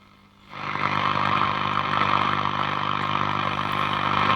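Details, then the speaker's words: Breville Pick-Me-Up 5 valve radio, just restored and working, with no earth connected: steady hiss and crackle with a faint hum from workshop interference. "Let's quieten this one down. I'll put an earth cable on and you'll see the difference with this."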